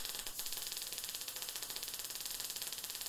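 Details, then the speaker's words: MIG welding on the flat at a slower travel speed than the previous welds, with no settings changed: steady, even frying crackle with no pops or sputter, sounding the same as the other welds; normal arc. "exactly the same as the other two worlds if you time it you'll find it's probably going to take me longer"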